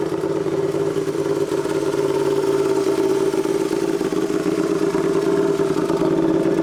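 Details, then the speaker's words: Turbocharged Royal Enfield twin, tuned custom build, just started and warming at idle: lumpy steady idle with occasional sharp exhaust pops (backfires); healthy. "Ouais, mais après, on est qu'au ralenti, ouais. Les retours de flamme, ils sont sympas, ouais."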